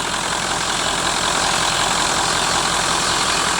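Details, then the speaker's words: 1996 Ford F-350 1-ton Power Stroke direct-injected diesel dually, repossessed truck that sat about 2 months: starts easily but idles slightly uneven and lumpy with hiss, one cylinder occasionally not pulling; owner suspects one injector still not quite right. Rough idle. "you know it's it's kind of just running it's a still a little bit uneven so I know one of these injectors is still whichever that one is is still not quite right"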